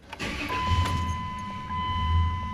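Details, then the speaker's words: Dodge Dakota 3.7L V6 after repairing melted wiring harness that had shorted cam/crank and throttle position sensor 5V reference: quick crank and catch, idle briefly wavers and stumbles before steadying; cause unknown. "okay A little stumbly let's go check it out"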